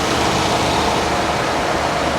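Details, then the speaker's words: Ford with Coyote V8, 128,678 miles, accident-damaged, air conditioning on: steady, even hum under loud fan rush, no knocks, ticks or stumbles; normal idle. "Well, she runs really, really well."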